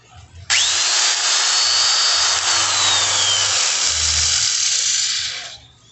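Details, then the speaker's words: Polisher reported to rub somewhere and to smell of burning: it spins up to a high whine over a harsh, hissy scraping rush. An abnormal rubbing noise while running, suspected early internal damage, not confirmed before opening. "si prende y si tiene un ruido raro pero de todos vamos a verificar porque posiblemente que esté empezando a dañarse algo"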